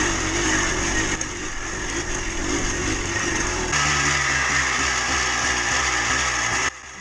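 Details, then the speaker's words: Yamaha Blaster 200 two-stroke quad revving, with a thin tinny metallic ring rising with throttle; worn low-end crankshaft bearings, thickening smoke suggests crank seals also failing. "Really hear that low end bearing sound now. It's getting real tinny."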